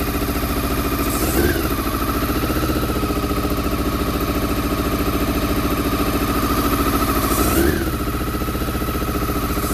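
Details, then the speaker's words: Honda CBR400RR NC23 inline-four after a fuel top-up and carb-spray start: lumpy, uneven idle with stumbling beat and weak blips, firing only on cylinders one and two; three and four stay stone cold. Water leak also present. "right believe it or not that was only firing on cylinders one and two um because that's hot that's hot them to a stone cold so uh so three and four are not firing right okay"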